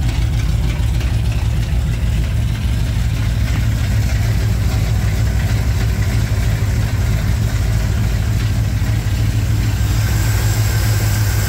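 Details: 1987 Chevrolet K10 squarebody 4x4, V8 at warm-up idle on first start after head gasket replacement; deep, even burble, smooth steady rumble, no misses or knocks. Normal idle.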